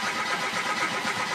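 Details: Chevrolet Aveo, before ECU repair: brief even cranking that never fires. No ECU communication, no fuel pump operation and no spark at the plugs because of a failed ECU.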